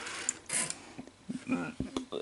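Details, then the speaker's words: NEC Super Beta HiFi VC-N65EU VCR at power-on: a short burst of clicks and a brief motor whirr that stops cleanly, the normal mechanism cycle rather than a continuous sound; deck otherwise has a capstan servo fault and slipping belts. "this is what it's supposed to sound like when you hit the power button"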